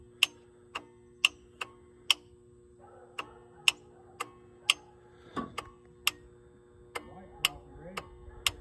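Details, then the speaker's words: Ford 7.3 IDI diesel with a no-start problem: sharp, irregular dry clicks, one or two a second, as the glow plug relay cycles during preheat until the clicking stops. "till the clicking stops. All right."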